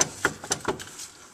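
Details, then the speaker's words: 1990s Ford Aerostar van, clunking when braking: four or five sharp, uneven knocks as the upper control arm is rocked by hand, then quiet; worn upper control arm bushing. "See this bushing right here? This bushing is bad. And whenever I move on this,"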